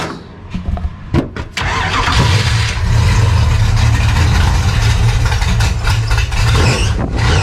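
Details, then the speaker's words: Race car after a new camshaft-driven fuel pump install: starter cranks steadily about four beats a second but the engine never catches because the fuel was shut off; crank, no start from no fuel. "Ran out of gas. Ran out of gas? Okay, so something. Oh, wait, oh, the gas is off. Oh. That'll do it. Well, I was right. You ran out of gas."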